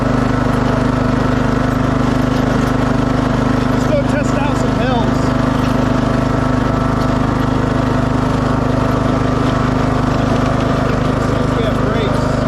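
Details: 2006 Craftsman LT3000 after oil change, new idler and charged battery, cold start then hill test; steady even drone under load, no rattle or vibration knocks; new idler cured the vibrations.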